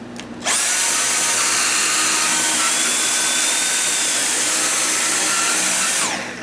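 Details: 2020 Dyson V8 Absolute stick vacuum after clearing jammed paper shreddings from the intake nozzle to the drum: the motor spins up to a high, steady whine and holds evenly for about five seconds without surging, then winds down; normal running, pulsing fixed.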